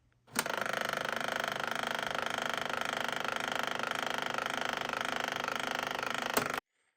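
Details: Magnavox D-8330 dual cassette boombox, deck B faulty: steady, rapid gritty grinding buzz with a fast ratcheting flutter from the cassette transport with binding gears.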